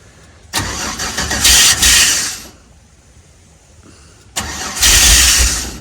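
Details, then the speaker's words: 6L LS-swapped Unimog 404 parked about half a year cranks in two long even bursts but never fires; fuel in the rail sounds like it has air, owner suspects it needs gas and tries the other tank. "Like I can hear it, the fuel running in the rail, and it sounds like it's got air in it."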